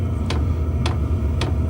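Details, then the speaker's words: Sivel diesel heater just installed in a double-hub ice fishing shelter, running after power-on: crisp dosing-pump ticks about every half second (~110 per minute) over a low steady burner rumble; normal operation, pump not very loud. "I hear the Burn you hear the pump going it's not terribly loud a lot of people complain about that pump and there other ways to quiet it but it's really not that bad"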